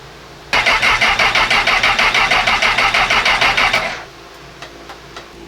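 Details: Honda CB1000R, new rectifier and starter motor fitted a month earlier, ran fine until it broke down at a petrol station: starter spins briskly and evenly with no firing. Cranks but won't start; crank and cam sensors fine, lack of spark or fuel suspected, cause unconfirmed.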